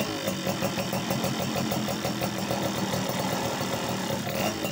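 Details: Yamaha F1ZR/Sigma two-stroke started to test the oil pump after fixing two-stroke oil leaking into the engine oil: rapid, even popping at a steady idle with no misses or surging. Running properly.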